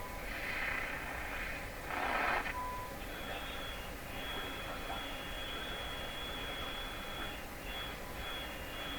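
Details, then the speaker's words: Stromberg Carlson 561 tube radio during wax capacitor replacement, tuning to a station: whistling tones jumping and sliding in pitch over hiss as the dial moves; heterodyne noises, probably real noise signals in the shop, not confirmed. "of heterodyning noises in there. Probably due to real noise signals here in my shop. So the pitch of those things going up and down as I tuned."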